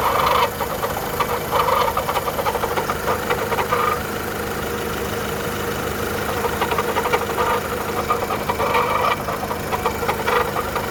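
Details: 2010 VW Polo 1.4 petrol idling with a rough, irregular ticking and clatter, uneven from second to second. Strange engine noise, timing belt suspected, not confirmed.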